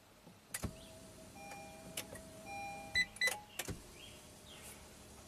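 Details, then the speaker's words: 2018 Honda Odyssey, engine off, parked on charger: sharp irregular relay clicks a few seconds apart from the BCM as the dash turns itself on; intermittent unwanted ignition-on that drains the battery within hours, cause unknown. "I just left the car off and now the dash is on this is exactly what's going on I heard some Clicks in the BCM"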